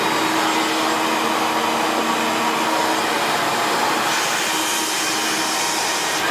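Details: 1994 Hoover Turbopower 2 U2462 upright bagged vacuum with an 800W motor and no autosense: steady, even whoosh with a constant motor hum and no rattles or surging. Normal running.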